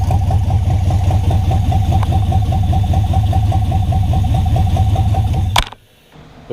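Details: V8 swapped into a Datsun 720 on first startup, after an oil-priming crank: deep steady rumble with even pulses, then it cuts off abruptly. Freshly fired engine idling cleanly.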